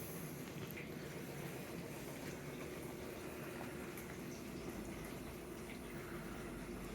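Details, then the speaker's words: Bosch 300 Series dishwasher running on normal cycle, extended dry off, sitting outside the cabinet before mounting. Quiet, steady water swishing over a soft low rumble from the water pump, no grinding or rattles; normal running. "it gets really quiet you can kind of hear the water inside and that's about it a little bit of rumble from the thing that's the water pump"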